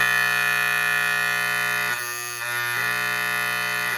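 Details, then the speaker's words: GE Telechron Tela-Alarm Jr. clock after frozen rotor repair: loud, steady electric alarm buzz whose tone shifts briefly as the tone controller is adjusted, then settles; buzzer working properly. "That's nice and loud. And of course, with the controller tone, you can adjust that."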